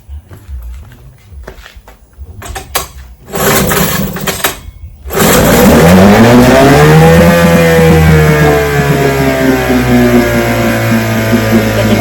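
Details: Vintage restored-then-repaired outboard, day five start test at full throttle after waiting 15–30 seconds for the carburetor to fill; a few pulls, then it catches and climbs to a steady, even buzzing run with no misses; started on the second pull; healthy.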